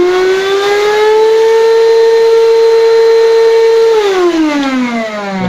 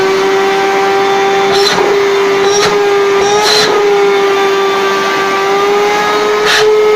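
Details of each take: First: Rowenta 1700W vacuum cleaner, owner complains it hums loudly and won't pull dust; at maximum power the motor howls with a loud piercing whine, then winds down when switched off. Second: Rowenta 1700 W vacuum cleaner, brought in for loud humming, now running with a strong steady motor whine and air rushes as the nozzle moves; suction good, new filter still awaited.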